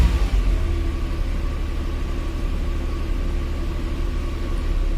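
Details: Maruti 800 petrol engine after replacing the faulty petrol solenoid valve that caused the no-start on petrol: smooth idle with a steady low hum and an even beat, no misfire or stumble. Running normally.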